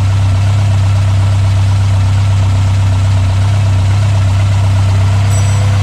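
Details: Mk1 Ford Escort Pinto engine, Weber 40 DCOE carbs replaced by Jenvey throttle bodies and MaxxECU Street, after first start, throttle balancing and base timing set: deep even low drone, no hunting or misses; stable healthy idle.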